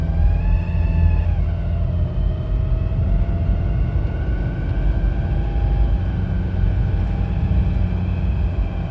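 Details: 2007 Nissan Pathfinder 2.5 dCi diesel: a faint thin squeal over a heavy rumble, its pitch climbing as the throttle opens. Two workshops found no damaged vacuum pipes; the source is unclear.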